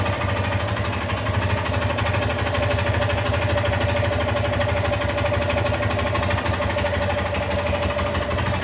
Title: Xtz lander 250 20/21 com 34 mil km fazendo um barulho no motor